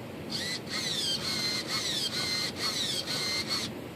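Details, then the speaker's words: Dynaflite Bird of Time glider: the servo whines in short high-pitched bursts with rising and falling pitch as it sweeps, because the linkage is binding and rubbing the edge of the servo while its alignment is adjusted. "Not real thrilled with that. We're just kind of rubbing the edge of the servo."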